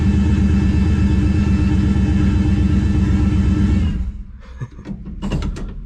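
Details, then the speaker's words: 1969 Plymouth Valiant (turbo 360 Magnum, TF727, narrowed 9.25 Chrysler 3.55 Sure-Grip rear) in gear with the wheels turning; even drivetrain rumble with no rear-end whine after replacing pitted bearings and fitting a crush sleeve eliminator; differential quiet. "quiet it's quiet wheels turning dead quiet we are good no rear end noise"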